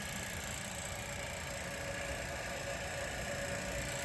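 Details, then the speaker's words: Willys-powered 120/240V 52 amp Army skid generator; aftermarket electric fuel pump (replaced mechanical pump) running off master switch, fresh fuel from boat tank: quiet fast ticking about three per second, steady chatter while building pressure, "like a tired rattlesnake"; pump priming normally. "okay that's good means the on off switch works now we'll wait for that sucker to build up some pressure sounds like a rattlesnake getting tired of rattling"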